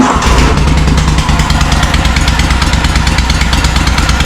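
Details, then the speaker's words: John Deere M665 zero-turn mower engine running loud and raspy with sharp puffing exhaust pulses after tightening loose bolts; earlier ran as if on one cylinder intermittently; exhaust manifold gasket apparently leaking, head gasket seemingly fine. "It just sounds like the uh like the exhaust manifold gasket is gone."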